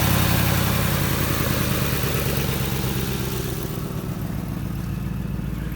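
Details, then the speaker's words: 2007 Lincoln Town Car V8 being rebuilt after a wreck, idling with a low, uneven rumble and faint puffing beat from an exhaust leak on one side. "The exhaust leak is coming from this, no man, not this side. This side over here."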